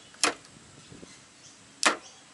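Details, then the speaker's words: Ford BA Falcon automatic with the upper shifter linkage found detached and a hard shift into and out of park: two sharp metallic clunks from the gearbox as it engages park. Parking pawl failure suspected, not confirmed. "sounds loud but it's only going in a park and park is just like a I could probably check for drawings but yeah it's a lot of drawings"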